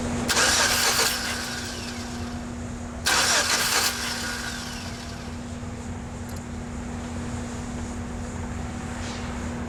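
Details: GMC 4.3L V6 pickup that stalled after a banging noise: two short cranking bursts, starter spins steadily but never fires, pump hum after; timing mark, fuel pressure 50 psi, compression and spark OK.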